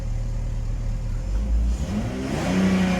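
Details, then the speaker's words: 2000 BMW 328Ci after replacing spark plugs, fuel filter and air intake hose; low uneven idle that wavers and surges slightly; rough idle persists, cause not yet found, air leaks still suspected. "Let's see if it gets better. So the car looks like doing the same thing. It's like idling rough."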